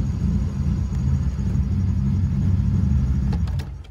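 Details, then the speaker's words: Honda Civic with surging idle, after tightening the throttle body idle screw fully: no longer surging, idle drops to about 1000 rpm then sags and fades as it starts to die; idle screw to be loosened a couple turns. "it went down to a thousand but you can see it's uh starting to die off a little bit but it's not surging anymore so that's a good thing"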